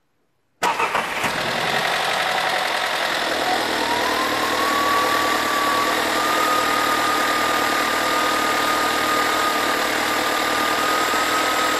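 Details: VW Scirocco TSI 122 cold start: the engine catches with a brief harsh rattle, then settles to a fast cold idle with a thin rising whine. Owner suspects a slack timing chain, unconfirmed.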